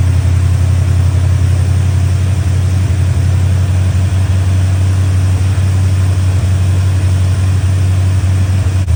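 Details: Chevy Square body barn-find truck, 305 (5.0) V8 with automatic, after timing, distributor, carburetor, tune-up and ignition work: deep, steady low rumble at even idle, no stumbling or misses; running much better than before.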